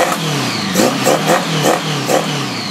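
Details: 1980 Honda Goldwing Interstate after Accel 140403 Super Coil install, ice cold, no choke: crisp throttle blips, revs rising and falling cleanly, no misses or stumble, hitting every lick; normal revving.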